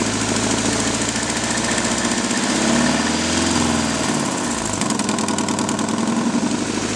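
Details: Nissan 240SX KA24DE at idle: quick, steady ticking puffs ride over the idle and follow engine speed. This knocking/popping is an exhaust manifold leak from a broken manifold bolt, since fixed.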